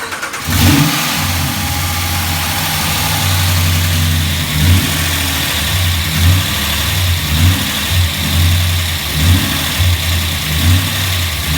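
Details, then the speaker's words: 2017 Ram 1500 Hemi V8 just fitted with a Moe's Performance HPT cam and phaser limiter, first start with lifters pumping up: idle with light puffing tick on exhaust pulses from a small leak at the header collectors on each side, before tightening. "Tighten up the collectors. We got a little leak on each side. So we're gonna start it back up. Get rid of that exhaust leak."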